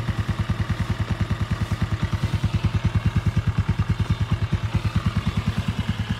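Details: Yamaha Sirius 110 Fi with about 26,000 km (owner's figure) after a full engine rebuild with new clutch: even, steady low thump at idle, about three beats a second, no knock or clatter; normal healthy idle.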